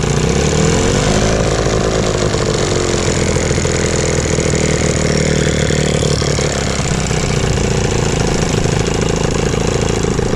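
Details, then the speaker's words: Evinrude 15 hp electric-start outboard that sat a year, after a fuel line replacement, running on water: steady even run with a smooth mid-pitch drone, no misses or surges; running healthy, though gas leaks from the bowl. "okay so she's running pretty good"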